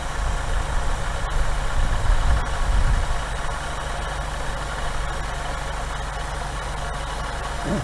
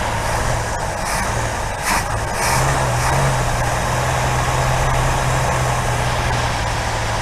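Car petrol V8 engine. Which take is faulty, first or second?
second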